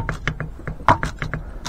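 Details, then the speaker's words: Throttle shaft of a stock, never-disassembled Mitsubishi 4G93 throttle body rocked sideways by hand: quick light metallic clacks from lateral play of about 0.8 mm, judged normal; a refurbished Evo 1 throttle body has much less play. "latéral qui est d'environ moi je dirais moins d'un mm peut-être 0,8 mm mais on entend bien le claquement latéral."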